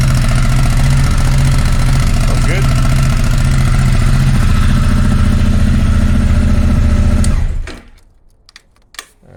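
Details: Honda Africa Twin motorcycle after an air filter change: starts and settles into a steady, even idle with a smooth low beat for about seven seconds before shutting off; normal, healthy idle.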